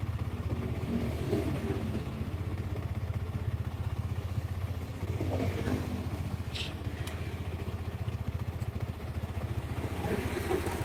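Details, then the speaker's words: Small single-cylinder motorcycle at idle after adjustment; even ticking, no chain rattle or slapping over exhaust beat, earlier frightening noise gone; running quietly, pending test ride. "nah ini sudah suaranya nggak mengerikan yang tadi ya"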